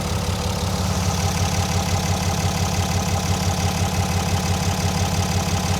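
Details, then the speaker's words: 2019 6.7L Cummins, rebuilt after seizing on the highway, with new injectors, upgraded pistons, Banks intake and roller-to-flat-tappet conversion, revved then idling; smooth even diesel idle, steady low beat, no knock or tick; normal idle. "That sounds really nice. >> Yeah. >> Did we uh >> did we go to a flat tapping on it? Was this a roller? >> Yeah. Yeah, we did the flat tapping conversion on this. >> Nice. That's why it's it just sounds so nice."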